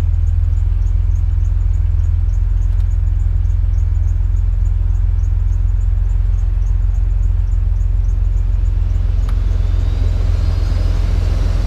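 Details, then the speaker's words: 2005 Chevy Impala (8th gen W-body), after replacing the failed HVAC blower control module that kept the blower at max even with key off: steady engine idle, then blower whooshes up smoothly and runs evenly; normal blower operation. "Alright, let's turn it on and see if we can control that blower fan again."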